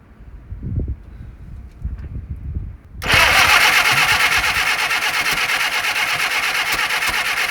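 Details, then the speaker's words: 1948 Willys CJ2A Jeep, first start after sitting for decades, with timing advanced: after a few cranking thumps it catches and runs rough and uneven. It smokes heavily and pours oil from a leaking gasket that needs replacing. "It's trying. Smoking like hell, didn't it?"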